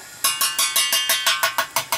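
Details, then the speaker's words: Expansion tank tap test on a boiler heating system with a rubber bladder, air side charged to about 12 PSI to match the 12 PSI fill valve, inlet on top: about eleven knocks ring hollow below where the air is and solid above where the water is, so the tank is still good. "Hear how it gets from hollow to solid? That's indicating that this tank is still good. It should sound hollow down where the air is. It should sound solid up top where the water is."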